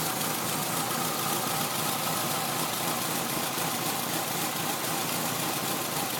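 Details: Peugeot 306 phase 3 1.6 NFZ petrol after head gasket replacement: uneven, loping idle with lumpy beat under steady hiss, like a cammed engine; vacuum leaks checked OK, owner suspects cam timing belt reinstalled a notch or two off.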